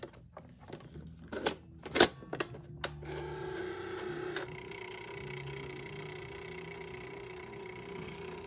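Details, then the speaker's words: 1984 Sony BetaMovie BMC-220 video camera after the battery was reinserted; sharp mechanical clicks and clatter, then a motor hum that drops away as it turns off and won't respond. The fault is unknown and it needs opening up. "hear that noise it's making a noise and then it turns off okay and then it won't do anything after that"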